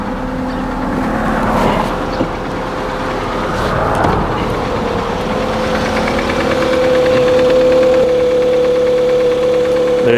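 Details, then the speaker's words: 2001 Toyota Highlander 2.4 L with battery light on and check engine light on, just started: loud knocking idle with even tapping about four beats a second and a thin whine near the alternator; weird noise, source unknown, charging system suspected. "okay so now we can start the engine man this engine is knocking"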